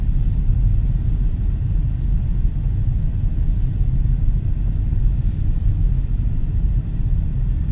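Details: 2008 Nissan Pathfinder V8 with a Volant Powercore cold-air intake and AEM Filter Minder, cruising at about 70 mph on smooth concrete, recorded on a mobile tablet during a before/after sound comparison. Deep, steady, smooth rumble with no knocks or misses, normal engine sound, no sound difference noticed.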